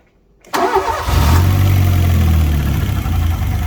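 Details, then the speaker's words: Fiat Punto GT Turbo, idling after a few minutes' warm-up, normally poor cold starting needing revving: uneven idle with rhythmic chuffing pulse about three a second; carb cleaner changes revs, confirming an intake manifold air leak. "whenever i try and start it i can always hear like a chuffing noise when it's idling and it's really poor when the engine's cold on starting"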